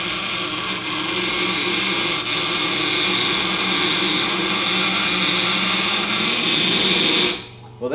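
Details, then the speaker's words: Westcott Titanium scissors being sharpened on a Tormek T-8 at about a 25° angle using a jig: steady high hiss of steel on stone with a faint rough shudder under it, cutting off at the end; the blade is chattering on the wheel. "there's the chatter we know and hate."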